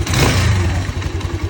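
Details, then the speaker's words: Mustang Region 150 motorcycle, about 9,000 on the odometer, poorly maintained, after valve adjustment and generator/rotor replacement: clean rev and settle, even exhaust beat, no tapping; earlier knock was the valves, now quiet with compression audible, though it smokes noticeably. "Дуже тихенька робить, гарненька така ж чути компресію, як виє."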